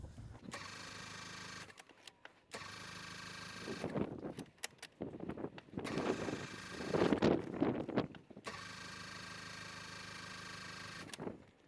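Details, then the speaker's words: Mazda Miata 1.6 L cranked on a 12V 100Ah LiFePO4 battery: strong, even cranking in repeated bursts with pauses, but no start. The owner suspects a bad fuel pump. "Oh yeah, it's cranking really strong. I think the fuel pump might be bad in this car, so it might take me a little bit of cranking to get it to start."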